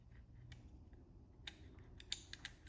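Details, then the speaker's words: Jaguar XJS automatic seatbelt motor, turned by hand: light dry ticks repeating a few per second from a pickup inside, probably signalling the ECU or seatbelt control unit, likely counting gear revolutions; normal clicking. "You hear that? There's a little pickup in there. Now that pickup is telling something, probably the ECU or the seatbelt control unit, automatic seatbelt control unit, when this pickup clicks."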